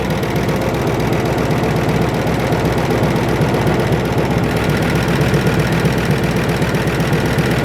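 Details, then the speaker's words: 1962 Mercury at first start after 30 years sitting, with a new solenoid and good battery: steady V8 idle with light quick ticking that keeps pace with the engine; valve train clatter, with oil pressure present and the alternator charging, before it runs out of fuel. "a little bit of valve train clatter van is straight out of fuel"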